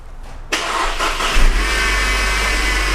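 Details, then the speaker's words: 2013 Mercedes C250 (W204) just started, idling with the hood open: a steady high-pitched whine like a dental drill from the belt area. The cause is a worn idler pulley bearing, not timing chain parts. "okay and you can hear that whining it's kind of like a dental machine"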